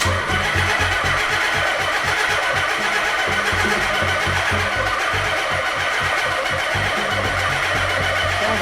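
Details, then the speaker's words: Nissan 300ZX with blown engine rebuilt after 10 years, Haltech ECU, first start: even starter chug about three pulses a second, no firing; cranks but won't start, 109° home tooth count error, crank trigger sync fault. "109° home tooth count error. Uh, okay. So, after a bunch of fumbling around with no appreciable changes, uh, we are going to need to call Specialty Z and or Haltech"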